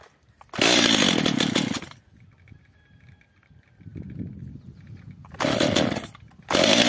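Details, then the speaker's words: Stihl MS 230 chainsaw, first start on choke, stalls and runs unstably. It fires in short revving bursts and dies between them, as if running out of fuel. Suspected carburetor problem or air leak. "Czyli pilarka pracuje tak jakby kończyło się paliwo jeszcze raz ssanie"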